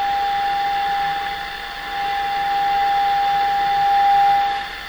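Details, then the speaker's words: Sony TR712 transistor radio, signal injection at volume control output during troubleshooting: steady test tone with rough roar riding under it; distorted audio stage, cause not yet found. "sounds bad to me sounds like a roar comes through with it"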